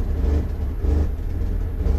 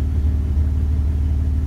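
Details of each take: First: 2001 Dodge Ram 1500 5.2L V8 at idle: a deep rumble that swells and sags as rpm fluctuates wildly, a surging idle traced to a faulty MAP sensor (P0107). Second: 2001 Dodge Ram 1500 5.2L after fixing a surge with a new MAP sensor (code P0107): deep, even V8 idle rumble with a steady beat, no surging or dips; scan readings steady around 10.3–10.6, normal idle.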